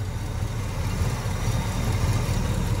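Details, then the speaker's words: 1970 Pontiac GTO V8 with dual exhaust, first start in years: deep, steady burble with an even, unhurried beat and no knocks or ticks, running fairly quiet; a healthy idle. "it sounds like she should the part i don't see nothing wrong with it she's running kind of quiet still got them dual exhaust though"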